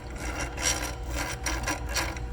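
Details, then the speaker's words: Twister T4 cannabis trimmer pre-run inspection: a hand-turned reel gives a short run of even ratcheting clicks, about two a second, from the clickers; the detents are catching properly. "we have these clickers you're going to check the clickers make sure they click you can hear that sound"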